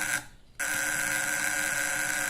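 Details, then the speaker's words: Homemade fish-shocker with a vibrating contact breaker (platina), in a capacitor vs condenser test: harsh, rough high buzz that cuts out briefly then returns, with big sparks at the points and an unstable, dimming light. "sekarang kita tes ya teman-teman suaranya kasar Nah suaranya kasar teman-teman ya kemudian percikan api di Filipina juga besar teman-temannya percikannya besar teman-teman"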